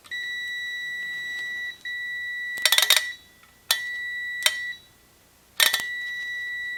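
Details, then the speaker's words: 1952 GM Autronic-Eye relay on a 1953 classic car, continuity tester: steady beep drops out and cuts back in as oxidized relay points, left open a long time, make only intermittent contact; points need cleaning. "that's working as points need to be cleaned foreign contacts open and you get oxidation on the on the surfaces if they've stayed together you don't get the oxidation"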